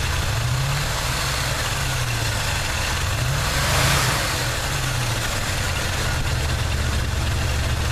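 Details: '79 Chevy truck 350 V8 with automatic choke, deep idle with wavering stumbling beat; nagging misfire despite sound compression and clean, unfouled plugs (no oil or fuel fouling); cause unknown.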